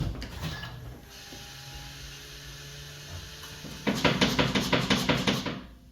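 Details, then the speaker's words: 2014–2018 BMW F15/F16/F85/F86 electric power steering rack: hollow knocks about three a second as the steering wheel swings left to right, from play at the worn rack thrust bushing; fixed with a genuine BMW thrust repair kit and grease. "So, basically that noise comes from the electronic power steering rack. And apparently there's a bushing, it's called the thrust bushing that is this thing, right?"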